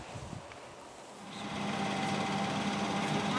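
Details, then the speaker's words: Engine running with a newly fitted starter that was shimmed out to get it started. A steady high whirring rasp rides over the idle as the starter pinion keeps sawing on the ring gear, so it's left running rather than shut off. "I got it running shimming it out though you can hear it sawing on the starter as as we stand here so I ain't gonna shut it off now"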